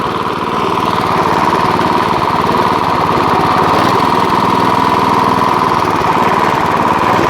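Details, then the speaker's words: Chinese GX160-type petrol water-pump engine, apparently Maestro CX160, which idles but stalls under pumping load: rough, loose clattering knock over steady low idle; owner suspects something rubbing or a worn connecting rod. "teman-teman ada suara kelotok-kelotoknya ya enggak tahu ini ada yang bersinggungan atau memang stang kistonnya agak guni ya nanti kita bongkar saja ya teman-teman"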